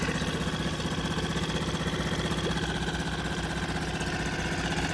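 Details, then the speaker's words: Nissan NSF 4A four-stroke pull-start outboard on a Hunter 19-2 sailboat, started in one pull with choke: steady, even putter with no misses or knocks. Normal idle. "runs great and then to kill the engine it's kind of strange usually there's a shutoff on the end here but the kill switch i just apply a little bit of"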